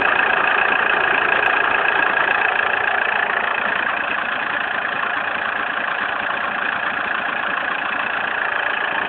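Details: Opel Zafira engine at idle: steady hum with a faint, fairly regular beat about three to four times per second; abnormal engine noise, cause unclear.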